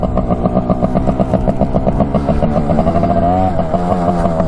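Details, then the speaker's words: 1967 Yamaha YL1 two-stroke motorcycle, barn find revived after sitting over 40 years, normal start after oil change and tire repair: fires right away, crisp ringing buzz revving freely and evenly with no misfire or rattle. "All right, let's see if she fires up here. yeah, right away."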